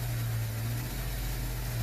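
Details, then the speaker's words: 2007 GMC Yukon after cylinder 1 misfire repair (head gasket, new DOD lifter), revved: steady engine hum, no misfires, faint whine from a worn idler/tensioner pulley bearing; alternator also starting to go. "winding your hearing is the idler tensioner just needs to be done eventually but no misfires so that's a fix for this vehicle"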